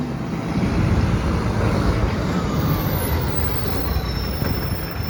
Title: Mandurah Good Friday garbage - roaring SJ truck SL01400 (massive exhaust leak)